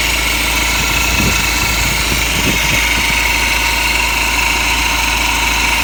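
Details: BMW E87 M Sport with N47 2.0 diesel, 177 bhp: idle with a busy metallic clatter on top and rhythmic bursts when revved; owner suspects the timing chain, unconfirmed.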